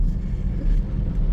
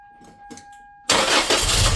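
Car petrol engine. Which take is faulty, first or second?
second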